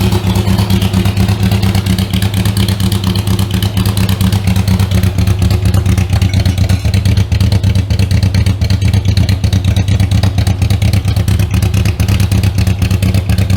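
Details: Riley Brooklands replica with newly built Austin Brooklands-style silencer: steady idle with loud, rapid, raw exhaust pulse, barely muffled; owner suspects silencer inlet pipe doesn't extend inside as the specs require; loud exhaust.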